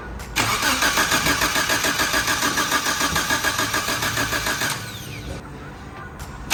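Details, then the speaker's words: Suzuki Samurai with a swapped 1.6L 16V engine, after a new head and gasket, timing thought to be about 180° out and reset: the starter cranks briskly with steady compression pulses for about four seconds but the engine never fires. Crank, no start; the timing is suspected. "all right I just verified timing and I think it was 180 out so I'm about to try and crank this sucker"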